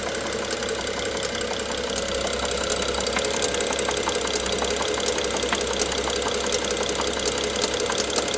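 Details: BMW F07 with N55 engine at idle: sharp, light knocks about one or two per second over a smooth hum; engine knock, cause unknown.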